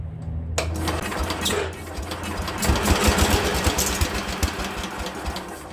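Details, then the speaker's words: Speedex 1630 garden tractor small engine, probably not original, second attempt after fitting a new carburetor: quiet until it catches, then a loud, slightly lumpy single-cylinder chatter that holds steady; finally runs, normal running after start. "She runs, guys. She runs. We finally got her to run. Success."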